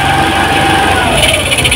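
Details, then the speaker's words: TVS Jupiter BS6 scooter, idle speed before adjustment: fast, busy idle with a steady buzzing drone that never settles; idle RPM set too high, adjusted at the screw after loosening the locknut. "ये देखो guys इस scooter की आवाज कितनी ज्यादा है"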